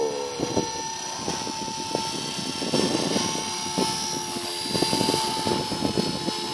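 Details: Align T-Rex 450 Pro DFC helicopter hovering, testing which bearing is bad; rotor whine with a rough, irregular ticking rattle growing as it nears; bad bearing suspected in tail, main or motor, possibly tail.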